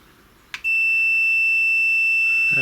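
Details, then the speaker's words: Numark Total Control DJ controller, intermittent cue buttons: multimeter continuity beep on a 6x6 momentary switch reads about 66 ohms, then wavers and breaks up to 25–90 ohms when wiggled; worn intermittent switch contact, fixed by replacing 6x6x4.3mm switches. "and that's Ring about six six ohms if I wiggle it about a bit though can hear the tone changing it's going up to about 55 ohms 25 oh 90 ohms"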